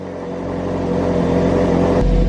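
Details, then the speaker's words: Ferrari 458 Spider V8, bought cheap and sight unseen, first cold start with check engine light on. Even fast high idle with a steady rising hum while the secondary air pump runs, no misses or knocks; sounds smooth. "Okay. So far, so good. It sounds pretty smooth. Let's see when it drops down here. After the secondary air pump stops and it drops, let's see what happens."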